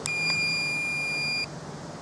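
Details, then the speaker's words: 2003 Abbey Inspiration 520L caravan motor mover remote: clear high electronic tone held about a second and a half then cutting off, confirming the remote is switched off after manoeuvring. "and when you've got the curve on where you want it turn the remotes off"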